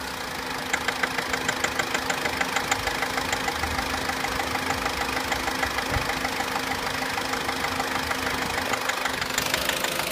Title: Corsa C Exclusiv tapping/rattling noise (FIXED)